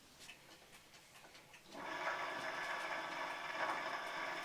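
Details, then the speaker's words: 2018 Puch Dance e-bike, Bafang G32 hub motor, pedalling on the pedal-assist sensor: a few ticks, then a buzzy whirring hum holds steady while the motor responds but the wheel won't turn. Cause: broken internal nylon planetary gears. "dan hoor je de motor reageren op de pas sensor dus er gebeurt wel iets maar het wiel gaat niet draaien en maakt een heel raar brommend geluid"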